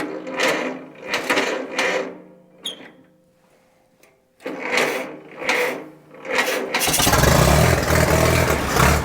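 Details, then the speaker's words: 1943 Case SC tractor after years sitting, first run after spark fix: uneven bursts with gaps then a ragged, lumpy run with a little throttle; owner unsure if a miss or fuel mixture, suspects mixture. "I gave it a little bit of throttle and she stayed running sounds a little rough I'm not sure if I got a miss or if it's just fuel mixture"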